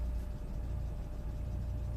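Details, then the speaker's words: 2004 Citroen C4 1.4 petrol (KFU), earlier a non-runner with open-circuit codes P0201–P0204 and P0443, after the wiring repair and relay relocation: quiet, smooth, steady idle with no misses or knocks; battery a little weak. Normal idle. "the battery seems to be a little bit weak but it's running absolutely fine"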